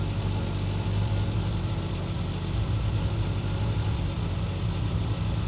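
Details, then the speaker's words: Triumph TR6 with Patton Machine TBI fuel injection conversion warming up: IAC valve closing from 64 steps toward zero, RPM dropping, fan on; low even idle hum, no knocking or ticking; normal warm-up idle. "so the RPM is so high initially because of the iic valve it's still open now it started dropping"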